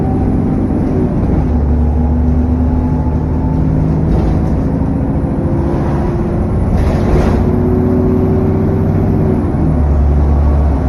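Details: SN61 DDE E210 on a dead run back to MB: heavy, steady roar under the drive noise with a thin high whine on top that holds with speed, cooling fan thrash and turbo whine.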